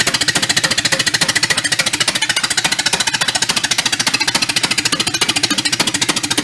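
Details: 1931 Ford Model A pickup, a barn find that sat for decades, on an early run: a loud, harsh, raspy chuffing at about 3.5 beats per second, running rough. The owner suspects the muffler and plans to blow it clear and refit the pipe. Cause unconfirmed.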